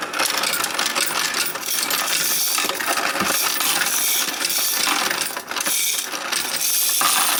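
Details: Royal Sovereign FS-44P coin sorter/counter sorting quarters, nickels, dimes and pennies straight into tubes with preformed wrappers, fed gradually; dense, steady clatter of coins tumbling and clicking without stalls or grinding; normal sorting run, count correct at $44.10.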